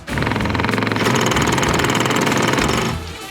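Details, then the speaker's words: Water pump in a Land Rover Defender overlander water system after a 15 L boiler was added: rapid chattering buzz with pulsing pressure surges and no cut-off, and the boiler's safety valve engages. "It seems like the pressure switch is not cutting the pump off, because there are some pressure fluctuations in the system."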